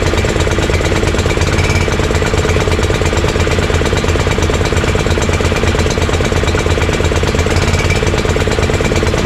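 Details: Honda GX340 single-cylinder in EZGO Workhorse golf cart repower, after verifying key start and kill switch shutoff: even chugging idle about three pulses a second, regular rhythm without stumbles or rattles. Normal idle.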